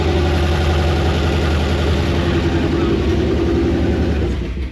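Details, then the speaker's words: 1969 Dodge Charger V8, wrecked and sitting since 1992, carburetor bowls filled by hand: first fire-up settles into a steady, even low idle rumble with no lifter ticking, oil pressure gauge rising off zero. Normal idle. "Well, it sounds like it has oil pressure because the lifters aren't going like clickety clickety clickety. But dude, it just fired up and idled."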